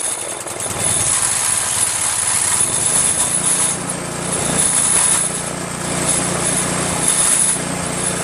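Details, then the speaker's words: Excell VR2500 pressure washer with Devilbiss pump, small engine running: light metallic jingle from the pump after it stopped working; balancer part loose inside after its washers broke. "you hear that you're the jingling of the metal when you hear it right something's definitely kablooey inside there right"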